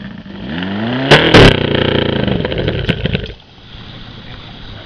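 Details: OMC 125 hp outboard on a dyno: engine revs and runs briefly, then sputters, clatters and dies around three seconds in as float bowls empty and the bad VRO fuel pump cannot refill them; fuel starvation stall.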